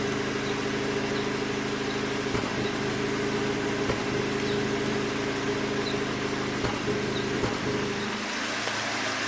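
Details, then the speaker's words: Hyundai Elantra GT, heard at the exhaust after coil packs 3 and 4 were replaced: a steady idle with uneven blips every second or two, a misfire later fixed by replacing the faulty number 2 coil pack. "I don't know if you guys can hear it but the car is still doing it I'll go show you from the exhaust"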